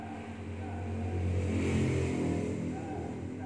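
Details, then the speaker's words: Old Toyota Corolla with a newly replaced AC compressor, engine at 1000 rpm with the AC on: a smooth, steady hum with a slight swell and no rattle or squeal; normal operation. "Dan inilah kerja dari kompresor yang sudah kita ganti. Ini untuk 1000 RPM putaran mesinnya."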